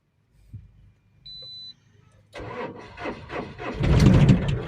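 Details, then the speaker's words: Mahindra Supro BS6 diesel after SCR/DEF level reset clearing start-denied dose malfunction codes P2BAF-00, P2BA7-68: short beep, few cranks, catches cleanly and revs to a steady even run; normal start. "यह देख सकते हैं दोस्तों यह start हो चुकी है मंद्र सुपो यह स्टार्ट हो चुका है"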